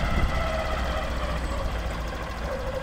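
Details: Honda CBF125 motorcycle at idle: low steady thrum with uneven churning undertone, no clear knock pattern; cause not pinned down. Strange noise at idle.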